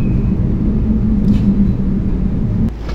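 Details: Car driving at 60–100 km/h with a steady low droning hum over road rumble that grows with speed, from a bad wheel bearing.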